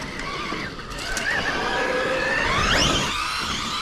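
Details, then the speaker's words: WOV Racing Blitzkrieg RC truck first run: high whine wavers and climbs with throttle over the motor hum after a failed climb; drivetrain sounds strained, cause unclear. "no I was thinking it would make it up but there's no way yeah no way I can literally I can hear it's hurt"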